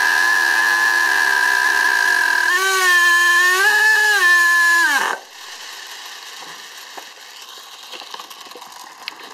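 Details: STS D30M model engine during break-in, no throttle: high screaming whine wavers up and down on its own then abruptly dies, blowing fuel back into the tank; engine runs away and cuts out, cause unknown.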